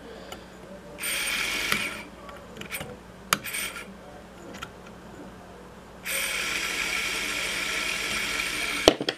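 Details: Webcor EP 2104 tape recorder rewind with switch held down for good contact: short clicks then steady high whir starting, stopping and returning; rewind drive spins properly, switch contact otherwise poor.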